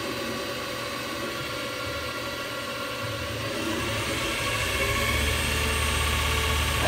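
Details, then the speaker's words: Lathe spindle ramping to 3,000 RPM wide open on new V-belt setup, VFD at 150 Hz max, about 1.5:1 pulley ratio; smooth steady hum climbing to full speed, old belt's squeak and high-pitched whine gone. Normal running at full speed. "3,000 right there. Wide open. And you can't ask for no better than that. I mean, before you could hear the other one squeaking. This thing is quiet as a church mouse."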